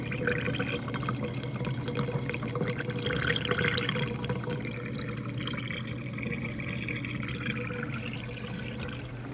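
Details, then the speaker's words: Frigidaire Professional Series dishwasher with intermittent start/cycle problems, door switch ruled out; water rush and gurgle over steady low pump hum, draining normally; normal drain pump operation. "yep yeah it's washing it's not the door switch everybody kept telling me it's a door switch I can hear that it's even draining"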